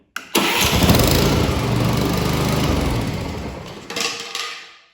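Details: Honda electric-start lawn mower with a dead battery, jump-started from a jump pack clamped negative to negative: a brief crank, then the small engine fires at once and runs steadily with an even mower thump; normal start and run.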